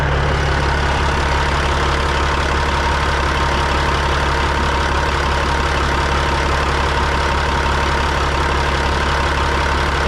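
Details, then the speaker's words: Freightliner FLD120 with Cat 3406E diesel at idle: light metal-on-metal tapping about 150 times a minute over steady idle, noise persists; cause not identified. "That noise is still definitely there. Like a tapping noise. Metal on metal. That's not a good noise."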